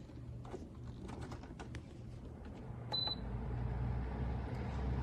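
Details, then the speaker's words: Vornado 660 large whole-room air circulator fan on its low speed setting: a few control clicks, then a low, steady, airy hum swelling as the blades come up to speed; normal running. "Uh this is the low end. This is the low speed, right?"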